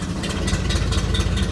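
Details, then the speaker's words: 1960 Impala V8 with carburetor, after sitting 32 years: low, lumpy idle with uneven stumbling beats, shakes and dies when put in gear; rough idle, carburetor suspected despite two rebuilds, points dwell and timing to check. "put it in gear dies it idle almost shakes a lot it's idling crappy"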